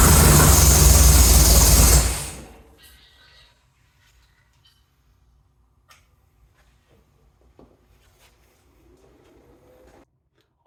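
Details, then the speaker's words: Ford 460 big block V8 in an F-100, first start: runs loud and even about two seconds with no knock or miss, then shuts off; healthy motor, normal running. "I am super excited to hear that 460 firearp I hope everyone else enjoyed that as well uh now that we know we have a good healthy motor it means we can really move forward with the project"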